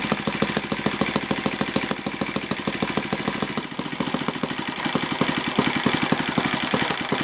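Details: Yamada (Futaba) YS-F120 four-stroke 120-size model engine on test stand after total rebuild (carbon buildup, piston and ring problems), Yamada No.4 glow plug: crisp evenly spaced firing pulses, steady buzzing tone, no misses or rattles; normal running.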